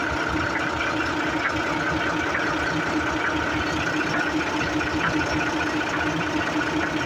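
Truck running with a steady drone and a whirring tone, plus an uneven knock about 100 a minute; the gearbox sounds abnormal, cause unclear.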